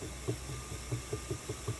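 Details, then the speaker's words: Ashford E-Spinner 3 spinning wheel running with brake and cord already ruled out and parts lubricated: dull low whomp thumps about five per second over a quiet motor hum; the bobbin slides back and forth in the gap to the motor. "so it's the bobbin did you guess it that's the mystery suspect"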